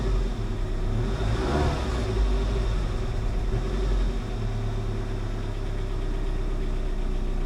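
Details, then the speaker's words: 1988 Saab 900 Turbo after vacuum leak work, ignition reconnected to starter: idle comes down but engine stumbles and bogs when throttle applied; owner suspects cheap fuel pump or fuel injectors, not confirmed. "look how that's come down now it stumbles though when I try to give her"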